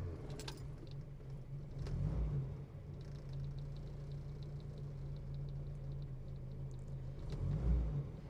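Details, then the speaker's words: 1960s MG 1100 (ADO16) with A-series four-cylinder: remarkably quiet, low, steady, even idle with no knocking or rattling; normal idle. "don't just think that sounds lovely there's no knocking no rattling glorious absolutely glorious"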